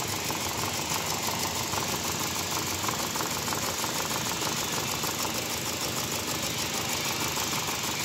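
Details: Car engine with no pickup and a missing complaint, before coil and injector checks and overhaul: uneven, thin idle with an irregular stumble every few beats; a cylinder misfiring at idle.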